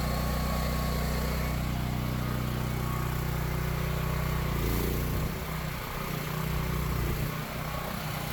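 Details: Power Stroke 6000 W generator, 389 cc, after carburetor clean and fuel filter replacement, oil clean: steady low drone with even beat settling slightly lower partway; normal smooth running.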